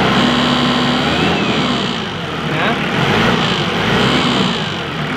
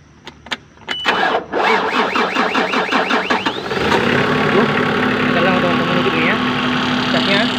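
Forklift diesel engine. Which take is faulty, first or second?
second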